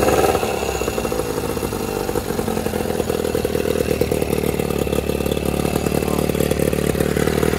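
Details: Outboard running normally on water hose after thermostat replacement, new water passage gaskets and head gasket; busy, crisp two-stroke clatter, steady with slight rev changes, no misses.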